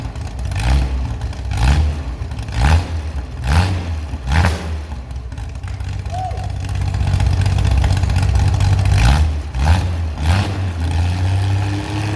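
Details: Chevy SS restoration engine with a non-original cam, running after the fuel level was lowered: smooth idle broken by crisp blips about once a second, revs rise and fall cleanly without stumble; healthy.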